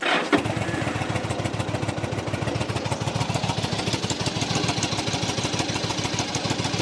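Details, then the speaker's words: 2007 Yamaha V Star 1100 V-twin, cold start with fuel on reserve and possibly low; brief crank then lumpy, uneven beat as the cold-blooded engine is reluctant to settle, then sounds good; hard cold start. "It's cold bloodooded. It runs. Oh, it sounds good."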